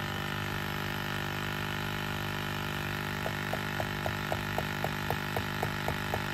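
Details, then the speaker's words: 1999-2007 Ford Super Duty (7.3/6.0 Power Stroke) with defrost-only air and non-working 4WD hubs: the electric vacuum pump hums nonstop with light ticks about four a second, never reaching cutoff near 15; vacuum leak from a split hose. "and right now i just noticed we have a little slit in this line right here so if you look there now the pump cuts off so"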